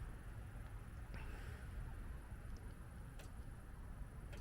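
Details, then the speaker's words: Espar D2 diesel heater just after atomizer screen replacement, set to 22 °C, heard at the outside exhaust port: faint sharp fuel pump ticks a second or two apart over a low rumble during startup, normal, with brief white smoke. "hear it clicking. There we go. That's normal, a bit of white smoke, especially after an install."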